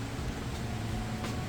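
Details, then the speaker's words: Whirlpool Cabrio HE top-load washer starting its final spin cycle, drum getting up to speed: steady low hum building smoothly, no knocks or thumps; spinning up cleanly and normally. "then we'll be on to the final spin cycle which is what I'll come back for next all right that spin cycle is now getting up to speed"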